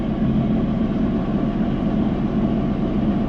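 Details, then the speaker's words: Sea-Doo jet ski restarted after nearly sinking, at about 1700–1800 rpm: steady, even low burble, smooth fast idle with no misses or knocks; running normally. "sounds good what's up let's get out on the water"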